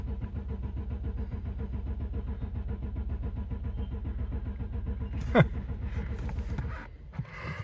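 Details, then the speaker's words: 2008 BMW 750i, crank no start, at 47°F, some parts already replaced: steady even cranking about five seconds with strong compression pulses, never catches; owner suspects no spark or fuel. "Very clean. Still cranking. Wow, I'm surprised it cranks this long."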